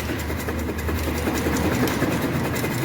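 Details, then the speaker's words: GM Chevrolet Spin/Onix (also Prisma, Cobalt) exhaust rocked by hand: quick uneven metallic knocking from worn, slack exhaust hanger rubber mounts, heard over bumps as a suspension-like noise; fix is replacing the mounts. "Ele fica bem cansado né é de segurar o escapamento e ele ele ele faz barulho assim ó ó ó tá vendo galera"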